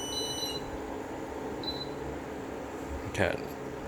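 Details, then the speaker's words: New 12V 2200W inverter on a test battery, powering an induction cooktop: short high-pitched beeps repeat, then a lone chirp over room hum, probably a low-voltage alarm; the feed cables are suspected too small, not confirmed. "is some kind of siren for low voltage then. Safe to assume the power feed cables to that inverter are not big enough."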